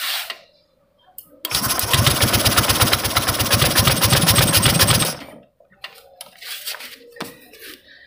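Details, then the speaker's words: Honda Vario 150 keyless scooter that suddenly died and won't start, fuel pump pressure normal around 40: engine catches about four seconds with harsh rapid puffing then dies, smoke from a hose at the head; suspected leaking cylinder head gasket or worn piston rings. "ini ada yang aneh Masbro dari selang ini keluar asap P tuh kayak ada yang bocor kompresinya"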